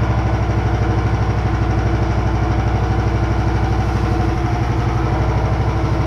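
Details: Homemade machine running after its poly-V belt pulleys were aligned and the motor moved about 5 mm back: a steady, even low thrum at fast idle, about three beats a second, with no knocks or belt squeal, running normally.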